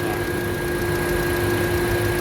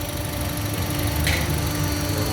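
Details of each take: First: 2008 Honda CR-V after a repair for stumbling and shaking traced to the cylinder 2 injector not spraying: the petrol engine now idles smoothly with a steady hum and faint whine, AC checked, no warning light. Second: 2008 Honda CR-V idling with an uneven, lumpy beat: cylinder 2 misfiring; swapping the coil left the fault on cylinder 2, and its injector was found clogged, dripping rather than spraying, then cleaned.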